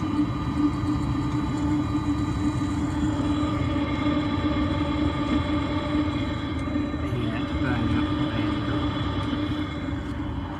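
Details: Webasto engine water pre-heater fitted under passenger door of 2018 Ford Transit Custom MK8: steady even hum with constant mid-pitched fan tone, no knocks, surges or misfires; heater running normally.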